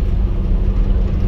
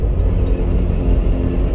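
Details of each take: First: Toyota Land Cruiser 80 series with a four-inch lift, new double cardan front driveshaft, coasting off throttle at cruising speed: only even low road rumble, no shudder or vibration, so the front driveshaft is silenced. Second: Lifted Toyota Land Cruiser 80 series at about 40 mph: heavy low rumbling drone when coasting off throttle or braking, gone under load, from driveshaft vibration due to steep angle.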